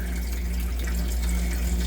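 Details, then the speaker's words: Manitowoc commercial ice machine after contactor replacement, resuming freeze cycle after ice drop: steady low pump hum under even rush of running water, no rattles or surging; cycling normally. "And it's resuming the freeze operation again. So I think we're good."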